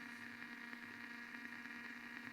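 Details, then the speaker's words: Blaupunkt Arkansas stereo tube radio after tuning capacitor repair, tuning AM/shortwave: steady hiss with low hum, louder at one end of the band, no stations received; owner suspects a short at the capacitor. "damnit it's actually it's getting louder as I get to this end of the band but it's not picking up anything destroy no way I can hear the hiss it's louder at one end shortwave hiss again your reception"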